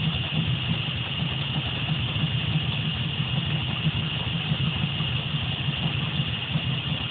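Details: 1970 Camaro idling with a timing light showing RPM and a vacuum gauge attached: lumpy, uneven idle with an irregular low beat; rough idle, possible vacuum leak.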